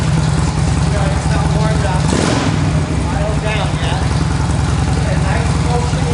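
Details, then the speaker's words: Stock 2007 motorcycle, 10,000 miles, cold, just after GlidePro motor mount install, no break-in yet: steady low even idle pulse, slightly lumpy while cold, no knocks or rattles. Normal cold idle. "I like the bike a lot it's a little cold I don't know how way you can hear me"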